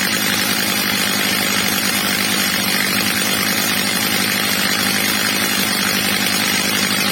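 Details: Old, well-worn Stihl MS230 chainsaw after replacement carburetor and clutch springs, carburetor screw leaned slightly, max revs set a bit under about 14,000 rpm: steady even high-rev scream, no hunting, surging or bogging; carburetor tuned right.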